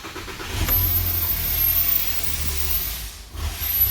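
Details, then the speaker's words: 2007 VW Jetta 2.5 with code P2279 and misfires in cylinders 1, 3 and 5, started with a hose disconnected: a lumpy, rough idle with a high-pitched whistle from the vacuum leak. "right you hear that really rough idol in that really high pitch"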